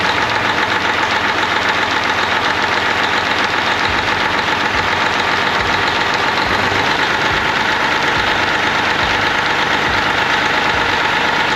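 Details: 1998 Freightliner Classic, Cat 3406E diesel, after replacing injectors and cups (fix for fuel dumping into oil at idle), injectors set at 52.32, fresh oil, 68 psi oil pressure: even idle clatter about three to four beats a second, no misses or knocks; normal idle.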